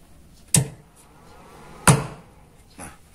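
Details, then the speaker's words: Amplifier switch-on/off: two sharp, deep thumps from the connected speaker about a second apart. The amp thumps in the speaker both when switched on and when switched off. "Nah, di sini saya ingin berbagi yang pertama buat sahabat-sahabat di saat menyalakan amplifier ini menimbulkan suara jeduk di bagian speaker. Jadi maupun menghidupkan atau mematikan dia menimbulkan suara jeduk."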